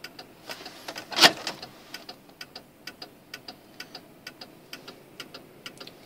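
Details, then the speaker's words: 1995 Cadillac Fleetwood during turn signal socket repair: crisp, even flasher clicks at roughly three per second, faster than a normal slow blink; hyperflash, cause unknown. "okay now it's doing that so what could be causing that now it's blinking even faster"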